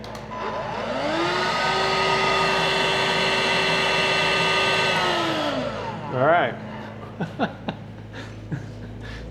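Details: Bosch Readyy Series 2 cordless vacuum after refitting the slipped belt: the motor winds up to a steady, clean hum, holds it about four seconds and spins down smoothly with no clicking.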